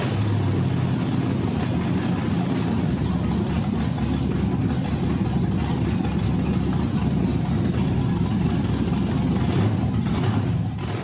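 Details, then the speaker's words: Rock buggy build LS engine, first start during initial buildup: steady low rumble with slight waver, developing a surge after the gas pedal is blipped; cause unknown. Idle surge. "Back when we started this up the first time, you can see I stepped on the gas pedal and it developed a bit of a surge."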